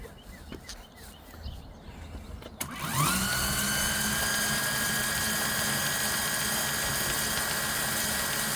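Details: CYC X1 Pro Gen 3 e-bike motor with X12 controller, switched to race mode using the factory twist throttle: it winds up with a rising whine, then holds a steady high-pitched electric hum with no pauses or cut-outs, running normally.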